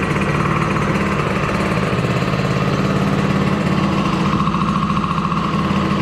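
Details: DRR 90 small single-cylinder engine just after water pump rebuild (damaged shaft caused seal coolant leak), coolant topped off: quick, steady idle with no rattle or squeal; healthy.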